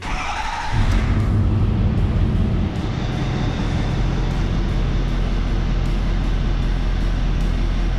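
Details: 2011 Ford F450 diesel, code P1266, cylinder 6 injector high-to-low side short: starts to a deep, slightly uneven idle from cylinder 6 misfiring, power balance about -40; injector replaced.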